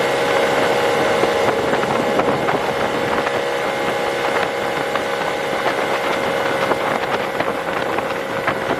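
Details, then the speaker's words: 1996 Tohatsu M40D 40hp 2-stroke outboard after fuel pump repair, flat-out: high steady buzzing drone without surging or dropping off; pulls cleanly at full throttle, fixing earlier high-speed dying. "Well, it seems to be running just fine. Let's pin it and see how we do at full speed."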